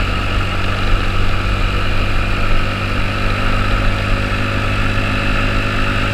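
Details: 2009 Honda Metropolitan scooter after fuel system repairs and carburetor work, with the plunger sanded and silicone-sprayed: steady, even low drone with no misses, surging or knocks while riding; running normally.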